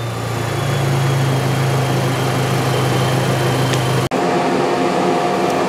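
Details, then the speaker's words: GM 1.4-liter GDI Chevy Cruze engine training bench after the case-study fault was removed: even, steady low hum with no misses, knocks or surging; a normal smooth idle. "let's start the car everything's back to normal so the student can now proceed to the following cases"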